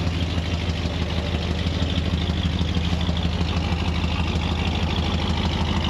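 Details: Ford 302 V8 Econoline van, cold start after replacing bent #5 intake pushrod (suspected stuck valve), dual exhaust. Deep steady burble with slight cold-start roughness, no valvetrain clatter; apparently all eight cylinders firing.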